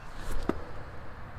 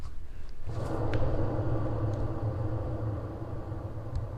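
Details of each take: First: Trailer wheel after bearing replacement, spun by hand: nearly silent with a faint whir and no grinding, showing how a good wheel bearing should sound. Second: Hand-spun trailer wheel giving low coarse rumble from a dry, under-greased bearing with no play.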